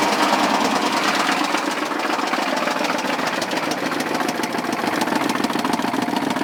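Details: K3500 6.5 diesel at idle, throttle untouched, surging, smoke, blow-by, rising oil level, 45 psi oil pressure on cranking: heavy fairly even knock three or four times a second with rattle; owner suspects rod knock, cracked piston, spun bearing or head gasket.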